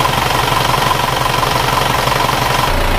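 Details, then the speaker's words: Isuzu Panther diesel at idle: steady idle with a slightly harsh, busy rattle on each firing pulse, rougher than a comparison engine; attributed to worn timing gears. "tapi suaranya menurut saya etek-etek ini Sabtu Ara dari Gigi timing jadi seperti gigi timings punya Elf elegan suaranya seperti ini"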